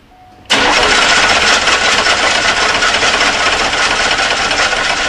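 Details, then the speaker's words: Oldsmobile 98 Royale, thought to be 1991 or 1992, that died while driving and was towed in: loud even starter cranking about four turns per second for five seconds, engine never catches; cranking no-start verified. "But as we see, we have verif"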